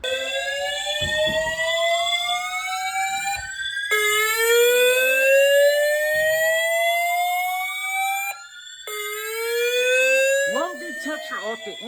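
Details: Building fire alarm activation: repeated rising whoop tones, each sweeping up over about four seconds with short gaps; the panel, possibly FCI, later stayed in trouble, beeping.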